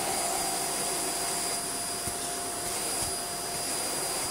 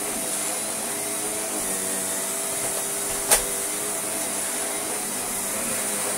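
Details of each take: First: Shark vacuum floor head with stiff, seized brushroll: steady high motor whine and rushing airflow with no beating brush sound; suction motor works but brushroll does not turn. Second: Shark vacuum from a joblot: a steady motor whine with an even brush hum and no rattles or scraping, then a clean spin-down. Running normally.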